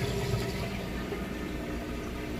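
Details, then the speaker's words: Maytag Bravos HE washer drain cycle: low, steady pump rumble with water gurgling and rushing through as it drains the tub quickly; normal drain pump operation. "all right pumps kicked in you can hear draining that water out nice and fast"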